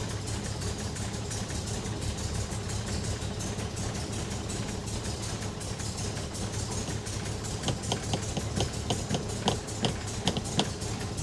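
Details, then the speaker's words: 1962 Rover P4 with carburettor, clean fuel supply and new lines: lumpy, uneven idle with irregular ticking, seemingly running on three cylinders, won't rev even with throttle floored; owner queried carb, cause was a blocked air intake. "I just to mash my foot right to the floor. It's not revving up. My foot's all the way to the floor. Is it a carb issue?"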